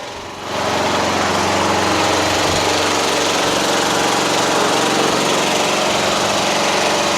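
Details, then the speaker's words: Yard Machines MTD hydrostatic lawn tractor repowered with Toro 12.5hp Briggs flathead, deck removed, test drive on driveway: engine catches and settles into steady single-cylinder drone under driving load, no misses or knocks; normal running, drives fast. "Hydrostatic. Actually pretty fast. Pretty good."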